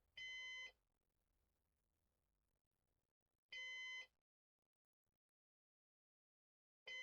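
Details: Used Synology DS418 NAS during setup: short high electronic beep about every three and a half seconds in a quiet room, like a heart monitor; warning that its fan has failed.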